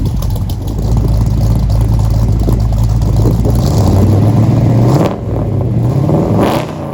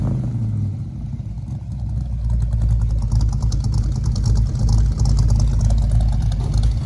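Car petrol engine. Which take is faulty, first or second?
first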